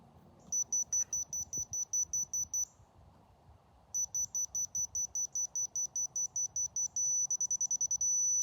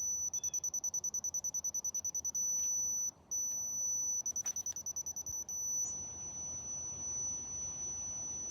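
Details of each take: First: Dovoh DR1 laser receiver catching the laser line at about 275 ft: quick high beeps speed up and merge into one steady unbroken tone, receiver right on center, on grade. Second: Dovoh laser level being set up with DR1 receiver: rapid high chirps about three a second, pausing and resuming, then stopping; the laser's out-of-level warning sounds until it settles level.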